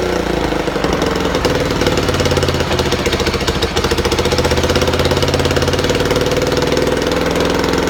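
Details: Buell Blast started with a shot of starter fluid through a small drilled hole, since there is no working choke enrichment: a single cylinder fires at a fast, even chugging rhythm with no misses; runs well.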